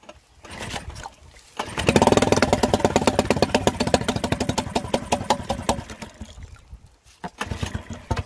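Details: Mercury 3.5 hp four-stroke outboard after a carburettor strip and rebuild and a new fuel tap; it previously would not start or tick over. Now a pull-start, then quick even popping at a steady idle; it starts easily and runs smoothly.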